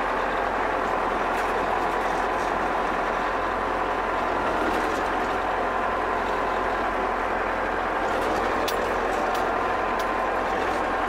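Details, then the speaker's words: German E303 mower during drive-belt replacement, running in second transport gear. A loud, even engine note holds steady with no knocks, slaps or squeals from the drive. Everything basically works. "Хорошо, вторая транспортная шестерня. В принципе, всё работает."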